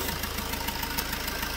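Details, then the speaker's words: Fiat Punto 3 engine at idle before injector seal replacement: fast, even ticking chuff with each firing pulse as combustion gas blows past the injector seals; injector seal compression leak. "la première chose c'est le bruit vous l'entendez un bruit anormal à bruz de pression de retour de prêt c'est-à-dire le piston purement donc la pression des gaz qui remonte et comme une faille donc ça fait ce bruit etc etc"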